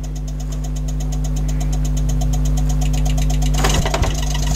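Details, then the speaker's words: Kenwood XD-351 mini hi-fi (1998) CD section after cleaning dust off the laser head: even ticking three to four a second over steady hum while disc reads but keeps skipping; cause not confirmed. "it's working it's actually reading it although it does keep skipping"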